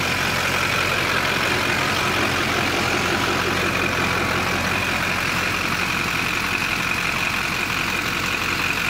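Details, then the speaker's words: LB7 Duramax diesel after fuel filter swap to ACDelco TP3018, started to confirm fuel flow: steady even idle with smooth clatter, no misses or stumbles; running normally. "Go ahead and start it up so you know that fuel actually runs through it."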